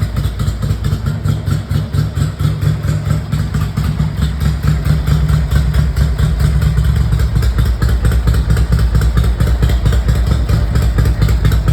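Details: 1982 Ducati 900SS twin, first kick start after 15 years sitting and carburettor rebuild: deep, lumpy but even beat holding a steady idle without stalling; normal idle.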